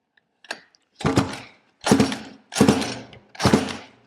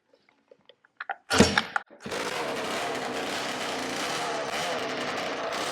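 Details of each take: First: Roughly 20-year-old 50cc two-stroke mini moto engine on a pull start: four slow strokes under a second apart, it turns over but never catches; spark plug still dry, no fuel getting through, owner suspects a stuck carb float. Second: Roughly 20-year-old 50cc two-stroke mini moto engine, started after a spark plug was done up: sharp start, then a steady, high, buzzy run, even and unbroken; running properly.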